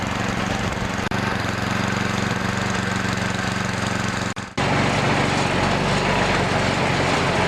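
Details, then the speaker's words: Single-cylinder engine of an MTD single-auger-belt snowblower, started after auger belt replacement with belt cover still off: steady even drone, no knocks or surging; normal running. "now before I put the belt cover back on I'm going to start it up and make sure that everything's working"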